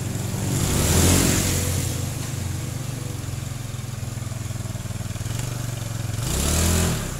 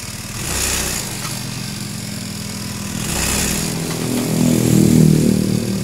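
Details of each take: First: Honda Beat scooter after fixing shudder and jerk on take-off caused by unevenly worn clutch linings: steady single-cylinder putter with two smooth rev swells and no shudder; clutch taking up normally. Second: Honda Beat scooter (carbureted or injected) that judders and jerks when pulling away: small engine buzzes with uneven surge about four times a second; suspected worn/hard clutch shoes, worn clutch housing, loose clutch spring or loose rear pulley nut.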